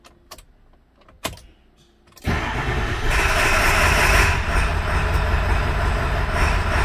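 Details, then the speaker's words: 2002 Ford F250 7.3 diesel after reassembly: it cranks and catches, then runs loud, ragged and uneven, setting code P1316. Rough running from dead right-bank injectors; later traced to a rubbed-through 115V right-bank injector feed wire near C110. "okay so it's back together let's see if it starts and runs [Applause] oh that's not very good"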